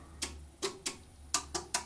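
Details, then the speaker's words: Kaco blue planet Hybrid inverter with PV and battery storage, tested in a grid outage: after the grid drops and the house goes dark, six sharp relay clicks over a faint hum switch the house to island or backup power. This is normal transfer switching. "r erkennt das netz ausgefallen und jetzt überprüft das system wir sehen da strömen als weiter die netzleitstelle hat geschaltet haben trotzdem noch 1,1 kg das geht jetzt einfach in die batterie obwohl das haus dunkel ist und jetzt schaltet er gleich das haus wieder zu und dann geht hier auch gleich wieder das licht an"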